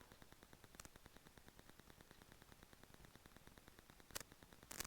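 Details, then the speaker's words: Rode Videomic Go on a GoPro Hero 7 Black via the GoPro mic adapter, recorded unmonitored in a home office with Wi-Fi: constant faint hiss, soft ticks about every 0.67 s and loud crackling pops, suspected electrical interference. "So I'm not monitoring this audio right now, but my experience with the Rode Videomic Go is that there's always a hissing, a popping, a cracking, some weird electrical interference sounds."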